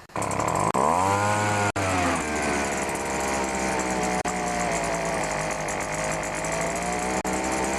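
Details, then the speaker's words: Pro BVM 200 leaf blower with 25cc engine, startup: fires right up, pitch rises quickly and settles into a steady, even high buzz with no misses or surging. Normal running. "this one's got a 25c engine so I'll give it a start I don't have any leavs to blow right now but I'll just start up to show you"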